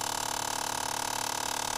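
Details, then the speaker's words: Jeep Liberty, faint quick even ticking, about a dozen per second, under a light hum from behind the dash each time any door is opened; blend door actuator skipping teeth, fixed by replacing it (Dorman 604-037). "Annoying. This is really annoying when you open your door and your AC"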